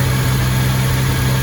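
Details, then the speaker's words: 1975 Triumph TR6 on stand, first start after camshaft degreed twice, warm (85-86°C, thermostat open), alternator 14.2 V, oil pressure 90 psi: smooth, even low hum but idling a little high; carbs still to be rebuilt. "It's idling a little bit high, but we're gonna rebuild the carbs anyway."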